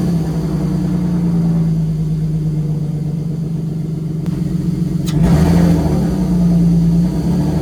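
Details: 1994 BMW 525 E34 Touring inline-six, revived after sitting 10 years, just converted to a 5-speed ZF manual: steady, even idle, clean blip and smooth return, no knocks, misses or ticks; runs healthy.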